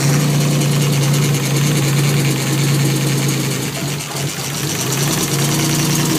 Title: E36 m3 bad misfire/rough idle